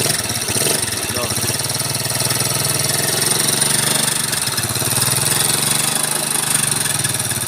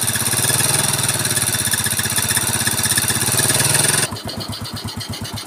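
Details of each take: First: Yamaha Mio carburetor scooter, upgraded, fitted with Supra carburetor, idling; very harsh metallic clatter from the cylinder head and the block/piston area. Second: Yamaha Mio scooter after restoration, Supra carburetor with no air filter fitted so intake hiss, intake covered for clarity; smooth even putter with no top-end ticking or rattle, very smooth normal idle.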